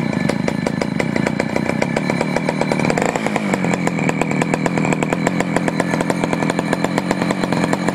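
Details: Poulan 4200 chainsaw, warmed up after a cold start, reported running a little lean: fast, even two-stroke firing, slightly muffled, then clearing and crisping up as the bottom low-speed screw is adjusted. Lean low-speed mixture being corrected.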